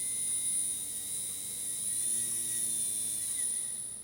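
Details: Small gear motor on a DIY diamond surfacing tool, driven at 12–13 V by a new PWM controller; thin high-pitched controller whine over soft even motor hum, no labouring or surging; normal running.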